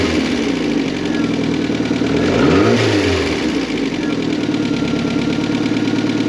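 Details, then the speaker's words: Mk4 Ford Fiesta not run in over 4 years, after a new crank sensor fitted: engine catches, swings up in one smooth rev and settles to an even idle with no misses or knocks; crank sensor likely the fault. "she runs crank sensor what's the problem all along"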